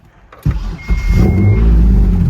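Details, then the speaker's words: Mitsubishi 3000GT with custom fabricated exhaust plus temporary added resonator, starting: starter catches, deep rumble with slight rasp on the rev, no knocks; much better than before but still a little raspy. "Oh, it's quiet, guys. mean, don't get me wrong, it's way better than before, but it's a little brappy for my taste."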